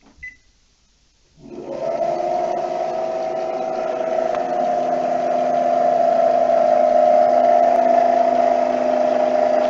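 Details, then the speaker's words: NordicTrack C2300 treadmill drive motor run with drive belt removed, isolating it from the front roller: motor spins up to a loud, steady whine over a droning hum, far too noisy, so the failing drive motor needs replacing under warranty. "that's very noisy not turning the holy are the roller on the front of the treadmill"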